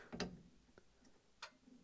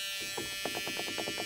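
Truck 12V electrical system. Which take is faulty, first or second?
second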